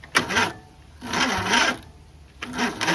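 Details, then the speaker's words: Racing lawn mower with newly swapped 20 HP OHV V-twin, cranking with fuel poured in the carb: three short, weak whirring crank attempts that trail off without catching; battery dead, starter barely turns it. "Yeah, our battery's dead, so that's a bummer. Well, I'm gonna have to charge that."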